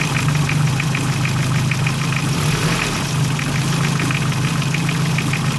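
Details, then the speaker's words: Car engine idling with a quick light knock riding over the hum, from play in a worn water pump; knock may be worse hot or cold. "alguns casos bate mas como quente alguns casos bate mais com o frio aí fica um barulho como se não tivesse mantendo é a bomba"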